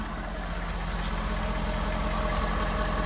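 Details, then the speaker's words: 2015 Ford F350 6.7 Powerstroke diesel restarted after an oil change and both fuel filters were replaced and the system was primed: steady, even idle clatter and smooth rumble with no misses or knocks; running normally. "okay we're good we're started let's see if it stays started seems to be running pretty good so far"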